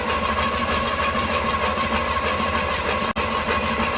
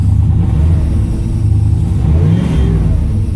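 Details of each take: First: 1981 Pontiac Trans Am 301 turbo 4.9 L V8 with newly installed FiTech EFI, first start: starter cranks steadily about three turns a second for seven seconds, never catches; distributor blue tach wire had been pulled out, so no RPM signal reached the EFI. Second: 1981 Pontiac Trans Am 301 turbo 4.9 L V8 with new FiTech EFI, revving: deep strong V8 climbing and falling with throttle, no stumble or bog; revs healthily.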